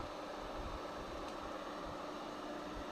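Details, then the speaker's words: Classic Cincinnati lathe motor first run, brought up slowly by the controller, phase currents about 2.7–2.8 A and balanced: quiet, even hum with soft fan hiss, no growl or buzz; running smoothly. "watch your eyes here goes oh that sounds good oh yeah I can see it spinning yep cool"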